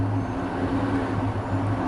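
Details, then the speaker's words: Used vehicle test-drive check with cold engine given slight throttle: steady even hum with a small rev rise and no rattle that could indicate variable cam timing being off; normal cold idle. "I don't hear anything on this particular vehicle, which is another good sign."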